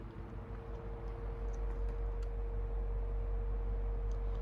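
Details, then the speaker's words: 1990s Galaxy (Lasko) 12-inch 2150 oscillating fan, serviced, on low speed: steady soft motor hum with a slow rhythmic wobble about three times a second; one blade has more pitch, is unbalanced and shakes the fan. "Unfortunately, one of the blades is kind of unbalanced. I'm not sure if you can see that. One of the blades is like has more pitch. So the fan kind of shakes, which is kind of unfortunate."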